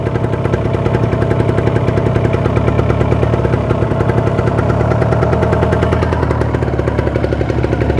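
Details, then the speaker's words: Kawasaki Ninja 2-stroke, checked before purchase, engine started cold and revved above 2000 rpm: fast crisp putter, very even with no rattle or roughness; healthy smooth cylinder and piston. "Jadi ya suaranya halus tanda terlalu kasar ndak kasar gitu tapi kalau yang halus begini ini jangan sampai yang namanya oli samping nanti pas pakainya itu telat atau habis"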